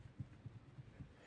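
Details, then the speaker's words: Lada Priora: dull, uneven low thumps from the steering column, several within a second and a half; owner says the steering shaft plays inside the rubber of the upper and lower column bearings, which dry out, delaminate and break down; needs replacing. "В общем, дело в том, что это надо менять верхние и нижние подшипники на рулевой колонке. Там получается вот этот сам шток рулевой, он внутри вот этой резинки гуляет."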